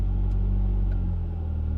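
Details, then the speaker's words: Fiesta ST150, cold engine: after a throttle tap the idle hangs raised around 1k rpm, only slowly settling; a vacuum leak from a split PCV hose behind the intake manifold, not fixed by throttle body cleaning or new intake hoses. "apparently what happens is the the hoses collapsed or a split so it lets more air in and the ECU reads that as an air like air coming into the system so obviously has more fuel and that makes it a rev or stick"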